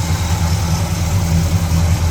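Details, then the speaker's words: 1969 Oldsmobile Cutlass 442 tribute, rebuilt 455 big-block V8 and automatic, warm at operating temperature: exhaust tone at a deep, steady, even idle with a smooth low rumble and no knocks or misses. A normal warm idle. "We'll get a little shot of the exhaust tone. Just the right tone."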